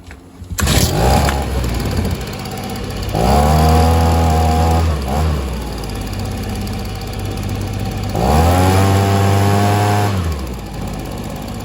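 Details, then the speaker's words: Stihl SH 55 handheld two-stroke blower/vac, with limiter cap still on: revs rise and sag in waves every few seconds; owner suspects low fuel, but laid flat it still lacks power. "you can tell it's kind of surging a bit I think that's just because it doesn't have enough fuel but when it's laying flat still doesn't seem to have much"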